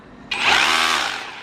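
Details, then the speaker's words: OSUKA OCRH852 cordless brushless rotary hammer in chisel-only mode: short, hard, fast hammering buzz winding up quickly and fading on release, no spinning; normal chisel operation. "ไม่หมุนนะจะสั่นอย่างเดียวเหมือนกับกระแทกเข้าพื้นอย่างเดียวอะไรอย่างเงี้ยครับกระแทกเข้าพื้นที่เราดันเข้าไปนะ"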